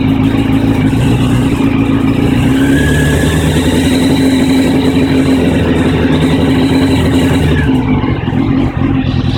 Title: 1999 CBR 600F4 Rough idle and low rpm